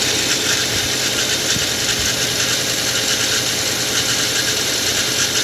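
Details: 2013 Nissan Xterra, 95,000 miles, cold start idle: dense, fast metallic ticking and hissy clatter over a weak low rumble, an unexplained abnormal engine noise.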